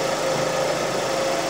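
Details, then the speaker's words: 2006 Suzuki Forenza after head installation (valves bent by broken timing belt), warm after about 10 minutes as lifters pumped up, post idle relearn: smooth, quiet, even idle, not shaking or missing; normal idle. "you can hear it running right now it's not shaking not missing"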